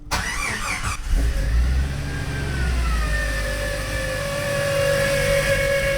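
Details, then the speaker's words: Jeep YJ on a cold start, engine had been dying: engine catches, then a loud high whine rises and settles into a steady, crunchy tone over the idle. Power steering pump suspected, not confirmed. "if you saw a recent episode you know this thing sounds like death like the power steering pump is going to leave the chat when I start it up"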